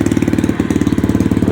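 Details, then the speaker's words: SSR dirt bike first start after carburetor rebuild and new air filter, previously needing starter fluid: quick, even putter about fifteen beats a second, no stumbling or hunting; normal idle without starter fluid. "up and running no starter fluid need it iding pretty nice and good"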